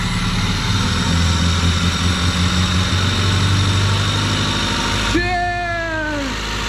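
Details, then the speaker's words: Vectra petrol engine after 10 years sitting, first running after electrical and charging troubleshooting: an even, steady low idle rumble with no knocks, misses or hunting; the engine now runs. "O galera vó fiquei feliz agora o motorzão funcionou"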